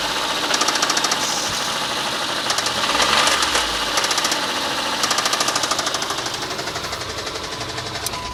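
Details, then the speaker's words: 2007 Mitsubishi Endeavor 3.8 L, 195,000 miles, revved: irregular metallic knocking and pinging in bursts, not a constant pattern; owner suspects rod knock or the never-changed hydraulic timing belt tensioner, unconfirmed. "I've seen several videos where it's the timing belt tensioner the hydraulic belt tensioner that's gone bad and it causes almost the identical same racket but mine seems to have more of a metallic ping to it"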